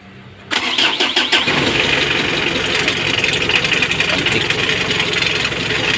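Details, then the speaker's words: 2015 Mitsubishi L300 diesel with morning hard starting, after tightening a loose black wire at the glow plug heater module: cranks a few quick turns, catches at once, steady clattering idle; charging 14 V, hard starting fixed. "tanggal yung hard starting niya umaandar na yanin na rin natin yung charging kung ilang volts 14"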